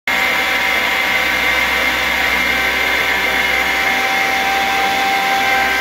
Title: YORK CHILLER YCIV COMPRESSOR ABNORMAL SOUND! SCREW COMPRESSOR! YORK AIR COOLED CHILLER